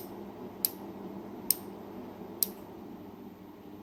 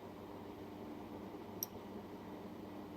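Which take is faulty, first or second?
second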